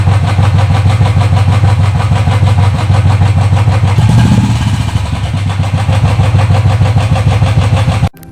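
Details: Royal Enfield single at idle at about 2500 km, loud fast tick-tick over the thump, louder than the exhaust; noisy tappets, later checked by a mechanic.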